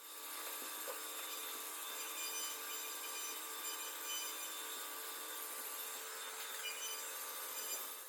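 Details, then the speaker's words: Mahindra Scorpio N with brake pedal vibration, brake disc being skimmed on a lathe: steady even hiss of the cutting tool, noisier at the thick outer edge, going quiet and smooth toward the centre with no chatter. "Last में centre में ऊपर तक जाते-जाते इसकी आवाज बिल्कुल नहीं आएगी। एकदम स्मूथली डिस्क कटेगी।"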